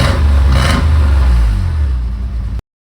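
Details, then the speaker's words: 1985 Nissan 300ZX (Z31) manual after exhaust leak fixed with new cat gaskets and cat gutted: deep strong rev swelling and easing back cleanly, no ticking or puffing; exhaust sealed, healthy revving. "Rev give it some more it's it's pretty phenomenal"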